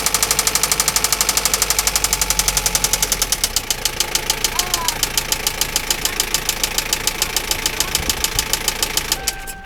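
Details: Toyota Lucida engine idling: sharp, rapid, steady knock about eight times a second.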